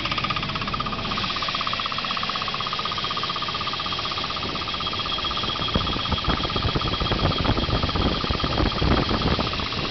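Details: 1989 Volvo 760 Turbo wagon with 230FT engine from 1994 940 SE, about 110K miles, synthetic oil: fast light knock, about four per second, at cold idle with faint whistle; worsening over a year, seems from bellhousing/torque converter area, source unknown.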